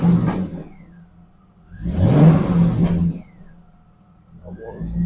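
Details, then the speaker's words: SLP cold air intake just installed, warm V8: two clean throttle blips rise and fall smoothly to a steady idle, no misses or knocks; no engine lights, normal revving. "Probably gonna take it for a spin down the road, see how she reacts. with the new air on it. Sounds pretty good."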